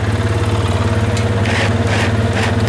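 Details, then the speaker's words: ATV after servicing and reassembly, idling until the cooling fan comes on: steady even idle thump with a soft fan whoosh coming and going; engine and fan sound healthy. "going to let it run a minute until the fan comes on make sure that's still all good"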